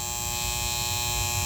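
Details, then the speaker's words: Goodman AC condenser unit about 12 years old with a steady electrical buzz from a worn contactor; like a weak capacitor, a buzzing contactor still works, but worsening contacts could cause AC failure, so replacement is recommended. "a buzzing conttor, similar to a weak capacitor, a buzzing contacttor will still work. But if the contacts worsen, this could lead to a AC issue."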